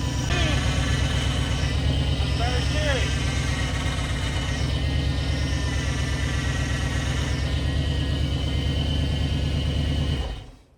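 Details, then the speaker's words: School bus after installing power steering and filling the reservoir, started with the pump screaming: loud steady high-pitched whine over a rough low idle until shutdown; power steering pump whine. "so that's awesome uh pretty cool that that works that'll be a lot nicer trying to drive this thing all right so like I said it does scream uh I'm going to check into that a little bit see what possibly could be"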